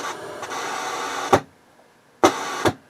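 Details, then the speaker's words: HH Scott R 316 receiver switched to phono input at high volume: hissy scratching ends in a loud bang and pops, like DC from the phono amp, then settles; AM, FM and auxiliary inputs are quiet. "it's a very loud scratch and bang now if i take the volume knob you can hear it's almost like i'm getting dc through the from the phono amp and then after a while it settles down"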